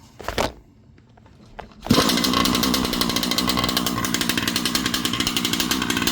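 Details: Losi 5B clone RC buggy with a Rofun 36cc 360SLT V5 two-stroke, newly fitted kill switch, pull cord and bigger tires, choked start. Fires after a couple of pulls and settles into a sharp, rapid, even buzzing rattle; running cleanly.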